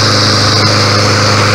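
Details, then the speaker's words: New Yard Machines 21" mower, 163cc OHV Briggs & Stratton engine, first start out of the box: loud steady drone with even low hum, no misses or knocks; sounds powerful, running smoothly. "I'm about to start it up right now. Alright, try to hold that steady. Sounds powerful."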